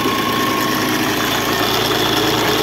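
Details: Mahindra Scorpio 2.6 8v diesel after radiator and cooler repair: steady, even idle with no knocks or rattles, healthy; a small alternator noise noted but not addressed.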